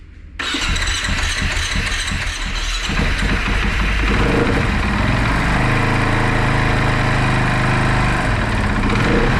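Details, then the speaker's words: Rebuilt KTM supermoto after the spark plug was blown dry of water: it cranks briefly, catches, then holds a fast, steady rev that won't drop to idle; the owners suspect the tank is pinching the throttle cables, which need rerouting. "Okay. Now that it started and you saw that it starts, the idea is that we probably throttled the throttle, because you see it stays revved."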